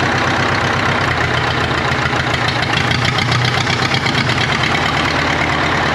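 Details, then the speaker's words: 1939 Caterpillar D4 crawler, D4400 diesel, first run after rebuild, started by pony motor, near a mile altitude: rough uneven idle, rhythm stumbling now and then; engine has a miss, fuel leaks present. "it moved it runs it moves it's got a Miss in the engine I I know we got some work to do"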